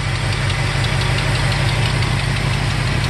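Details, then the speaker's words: 1969 Ford F250 Custom Cab Camper Special, factory 390ci V8, manual transmission, odometer 38 (likely 138) thousand miles, about 50 years old: deep, even rumble at a steady low beat, no ticks or knocks; smooth, quiet normal idle for a 390. "There's the engine running. Nothing amazing to report here."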